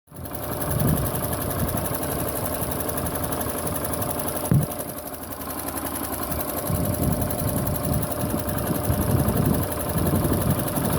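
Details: Honda Pop 110i motorcycle engine noise: a fast, light, sewing-machine chatter of about four per second rides over the idle, loose in rhythm; the source is not pinned down.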